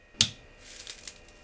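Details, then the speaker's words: IBM G74 CRT monitor (paired with IBM PC 300GL Pentium III 450MHz), power-on after reassembly: a sharp snap then faint crackling ticks of high-voltage arcing, unseen in the light; ozone smell, no image, standby LED flashing. "every time I boot I clearly have some arcing but I can't see the damn thing"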